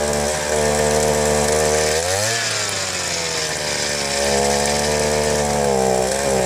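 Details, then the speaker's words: Southland two-stroke post hole digger after fuel-line replacement, running on choke: uneven buzz sagging and recovering, smoky, long warm-up; rough running, old bad gasoline blamed, new carburetor suspected. "So far, it only wants to go on choke. Obviously wants some warm up. Seems kind of smoky. Seems like it took a long warm up period."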